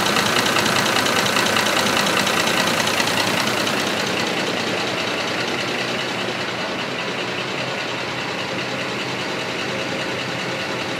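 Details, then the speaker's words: 2005 Ford F-150 5.4L 3-valve V8, fully warm at idle with 30 psi oil pressure, runs smoothly under a steady fast ticking knock from worn cam phasers; P0022 over-retarded cam code and misfire codes present. "really it runs fine I don't feel a misfire at all it just has that that constant ticking sound"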